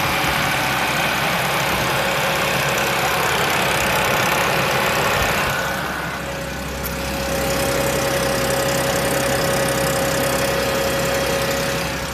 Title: 2009 A6 3.0T timing chain rattle?